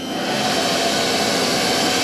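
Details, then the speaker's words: Spindle of a used 1996 Fidal 4020 vertical machining center at speed 3,000, belts shifted into high gear: a smooth, even high-speed whir with no grinding or surging, running healthy. "Let's see, speed 3,000, that should kick it into high gear. Those belts up there should switch over. They did."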